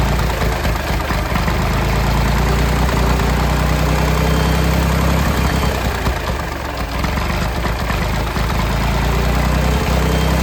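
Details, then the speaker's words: Late-1960s/early-1970s Massey Ferguson 2200 forklift, Perkins 3-cylinder gas engine, first run after 23 years: steady, fairly fast idle with an even low thump, never settling to a slow tickover. The throttle won't idle down, and the choke is partly closed to stop it running wide open. "Nothing don't sound too bad. I believe we're gonna have ourselves a nice runner here. I'm not sure why the throttle's not idling down like it should."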